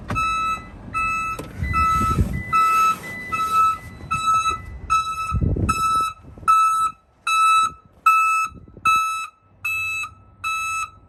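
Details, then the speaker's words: Commercial van with newly installed backup alarm, idling in reverse: sharp high evenly spaced beeps about seventy-five a minute over quiet idle; alarm sounds only in reverse, working properly. "So it's, if you got people outside and stuff like that, they can hear the beep and get away from your truck. It's a nice safety feature. Let everybody know you're backing up."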